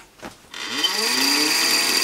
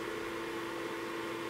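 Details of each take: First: ProsKit SS-331 desoldering station, quieter replacement fan just fitted, powered up with iron unplugged and covers off: fan spins up to a steady whir with fast scratchy ticking, then winds down; blade rubbing on internal wires. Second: ProsKit SS-331 desoldering station after fitting quieter replacement fan: steady even whir, constant mid tone, no rattle or casing buzz as before; sound now mainly from the rear.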